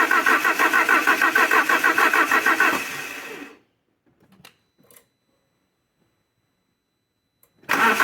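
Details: Alfa Romeo 147 Twin Spark that had misfires, a rough idle and hard starting. After new valve seals and a timing belt, it gives even cranking pulses for about three seconds, then silence once the key is released. Normal start cranking.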